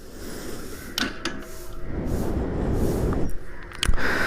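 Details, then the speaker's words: Bajaj NS200 motorcycle, ignition on, starter pressed: only dry ticking clicks, starter motor engages about one second then cuts out, engine won't turn over; weak battery, relay already swapped without fixing it, battery being replaced. "Self motor on ஆகுது ஒரு one செகண்ட்ல அது அப்படியே of ஆயிடுது battery down ஆயிடுது"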